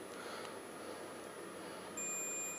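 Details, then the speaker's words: Suzuki GSX-R1000 brake light switch continuity test: quiet, then a steady high tester beep holds when the switch is pressed, circuit closes properly; switch works fine. "and there you go you can hear the buzz which means it's making a circuit when that is pressed which is obviously when your lever is out it breaks the circuit"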